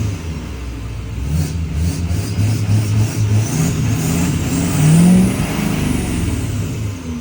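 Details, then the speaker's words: L5P diesel with a newly installed Calibrated Power 64mm turbo: several free revs rising and falling, with a high turbo whistle climbing each time; sounds healthy and strong. "Listen to this thing just purr."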